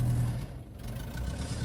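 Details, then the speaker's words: 1978 VW Bus air-cooled engine, very cold, just started: note sags and stumbles, sometimes sounding like it will die, then recovers; owner says it has done this only at cold start for 15 years, cause unknown; engine also leaks oil. "I call that the ghost in the machine and it's done that for the entire of 15 years I've owned it it'll only do it when you first start it up and then it goes away"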